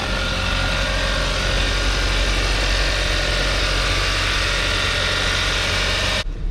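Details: 2013 Kia Optima with a crank-no-start and no PCM communication, now starting and communicating with the scanner after a paper clip was removed, on a hot day: steady, even idle with a smooth low hum and no misses or knocks.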